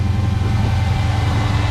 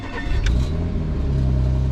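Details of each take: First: Dodge SRT (2018) at a dealer auction, cold start: deep, even rumble holding steady with no knocks or misses; healthy cold start idle. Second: Car at dealer auction, start: engine catches and settles into a loud steady low idle with a rough undertone; sounds off, cause unclear.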